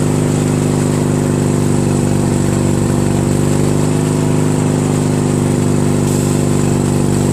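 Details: Craftsman DYT4000 lawn tractor with a 14hp Briggs opposed twin repower, electric PTO clutch engaged with the deck belt removed. Steady, even drone holding one speed, no knocks or misses. Runs cleanly with the PTO spinning.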